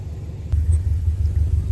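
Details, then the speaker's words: Subaru Impreza (WRX-to-STi build) first start after a full rebuild and three years off the road: catches and settles into a deep, loud but even rumble with no knock or miss; normal idle. "she sounds incredible she's running I can't believe it she's absolutely running she's loud"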